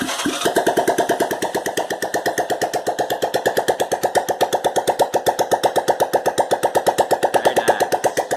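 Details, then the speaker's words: 1986 Honda Fourtrax 125 single-cylinder, first test run right after top-end rebuild (new gaskets, lapped valves, valves set 5000 intake/8000 exhaust), exhaust pipe off: sharp evenly spaced pops about nine per second, steady regular firing, burning off assembly lube; normal running. "8000 exhaust no pipe let's fire her up oh yeah getting rid of all that assembly lube from putting her together"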